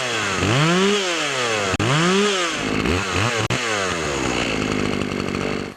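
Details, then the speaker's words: Poulan Pro chainsaw after fixing a clogged air filter and sharpening the chain: snaps up to a high buzzing scream and drops back cleanly several times, no bogging or stumbling; normal running. "you can see how it works better with the clean filter"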